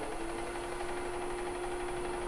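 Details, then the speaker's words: Wood lathe (776) spinning a bowl blank at about 600 rpm with no vibration: a smooth, even mid-pitched hum with a faint high whine and no knocking or wobble. "So I'm going to go pretty fast, because it's not causing the lathe to vibrate. So I can go right on up there. I'm at 600 now."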